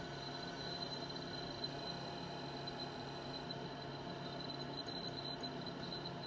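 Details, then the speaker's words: 1987 Conner Peripherals CP-321 hard drive, partially failed, repeatedly spinning up and down and reading very slowly: steady high whine over a low hum with faint irregular ticking; owner suspects the heads rather than the spindle motor. "listen to that thing making a weird noise and yeah it'll slowly progress it doesn't error out or anything but it's so slow and now it's making a weird noise"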